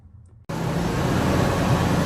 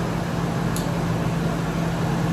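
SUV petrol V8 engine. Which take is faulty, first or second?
second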